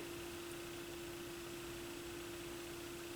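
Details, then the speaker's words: Squeal from a Yamaha YP-B4 turntable near the end of a record as the tonearm returns, first suspected as the belt; a steady one-pitch squeal over faint hiss, suspected lube issue, before lubrication. "oh I gotta see what that was kind of a squealing noise let's see it almost sounded like something was going on with the belt"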